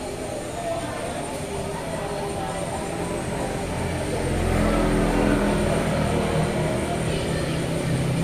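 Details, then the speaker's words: Yamaha Mio GT scooter with heavy pull, very rough engine noise and MIL code 42 (speed sensor). A coarse rumble and rattle from the CVT side grows with throttle; the front drive pulley was found destroyed, with lots of metal filings. "Oke setelah kita analisa perkiraan yang rusak itu di bagian CVT di bagian samping"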